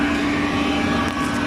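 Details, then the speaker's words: Eberspacher Airtronic D4R (AM2 new-generation) diesel heater running about 10 minutes after the lock fault was solved and software flashed; quiet steady even hum, no surging, popping or rattle, normal running. "I don't know if you can hear it, but this is how silent it is once it's working properly."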